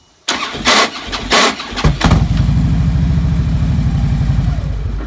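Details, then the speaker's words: 2009 Harley-Davidson Road King V-twin, not only when hot: a few heavy harsh clunks while cranking before a lumpy idle; suspected starter clutch, ring gear or compensator, owner ruling out starter clutch first. "And it doesn't always sound that bad, but sometimes it's, one extra clunk, and sometimes it's that a few times."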